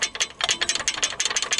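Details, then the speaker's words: Lexus GS300 rear brake, pads rattling loose in the caliper before the anti-rattle springs are fitted: quick, light metallic clicks in uneven bursts, a ringing knock heard from the rear hub; springs added between pads to keep them tensioned. "И чтобы они будут в напряжении, и они не будут брякать вот так вот. А пока вот такой вот звук."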